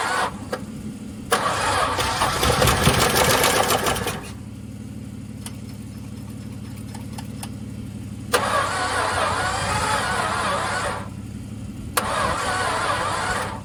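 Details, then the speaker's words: Long-stored VJ Dodge ute engine, previously stuck, oiled but unserviced for years, weak battery boosted: slow, uneven cranking bursts with harsh churning rattle and no clean catch; harsh cranking. "I must admit, she doesn't sound very pleasant. One of the worst ones I've heard turn over in a long time."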